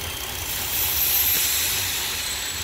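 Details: 2008 BMW N52 engine running rough and misfiring at idle: thin steady high whistle over hissy uneven idle; vacuum leak at the crankcase vent (PCV) valve.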